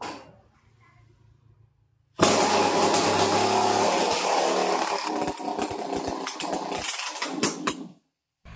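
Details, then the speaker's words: Chainsaw that would not start, after cylinder/piston bore kit replacement, started with choke on and no air filter or silencer fitted: it catches at once and screams at high revs, then stumbles and cuts out. The carburettor L/H screws still need adjusting. "Air filter silencer వేయకుండా first అయితే మనం start చేద్దాం. Choke లాగాను, switch on చేసుకుందాం."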